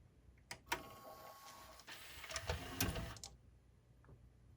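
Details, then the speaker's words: Pioneer CLD-59 laserdisc player, top off and laser not yet fitted, after the sled motor holder repair and greasing: quiet whirring with light ticking as the carriage travels; smooth movement, sled motor working normally. "Just for testing purposes, we're going to go ahead and plug it in. We just want to make sure it moves. Looks like it's working to me."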